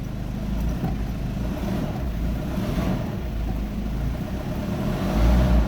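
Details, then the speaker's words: Ford Ranger after top overhaul, running with aircon on after leaf blockage cleared: deep even engine note rising smoothly when revved, no knocks, misses or rattles; engine runs healthy. "All right All right na all right aircon natin ganda ng andar"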